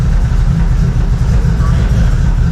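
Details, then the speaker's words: Toyota 2JZ inline-six after warped intake manifold fixed and fresh plugs, running on all six cylinders for first time, about 500 rpm: low slow steady idle, no skips; normal idle. "Well, that sounded much better. That did sound, that almost sounded like an actual 2JZ there and not a 0.3 JZ."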